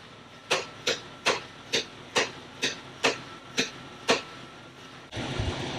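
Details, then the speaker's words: Jeep Cherokee XJ under rebuild, after rear brake and parking brake adjustment: about ten sharp clicks roughly twice a second, then stop; clunk traced to the bolt at the lower end of the track bar, thought now sorted. "I think we got the track bar sorted out. The lower end of the track bar, the bolt was a little bit"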